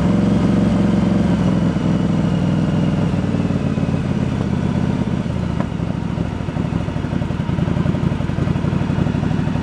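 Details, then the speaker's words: 1986 Yamaha Virago 1100 V-twin after carb work, freshly primed and started, bowl gasket leaking: uneven lumpy idle with light clatter; front valve set a little loose when cold, still to be adjusted, owner says it shouldn't affect running. "The front valve, when it's cold again, I got a little on the loose side because I was chasing a problem, but nothing should affect how it runs."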